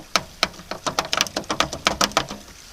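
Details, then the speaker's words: VAZ 2114 at almost 80,000 km: sharp irregular metallic clacks, about five or six a second, from the loosened tailgate latch rattling in its mount; owner also suspects worn rear bushings. "Это первый шумогенератор. Из-за этого багажник в задней части этих ведер дребезжит."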